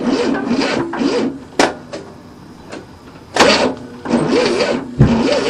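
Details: 1967 Cadillac after 30 years not running, new starter fitted, timing retarded, choke propped open, smells flooded; irregular cranking bursts about once per second, no firing; cranks but won't start, cause not confirmed.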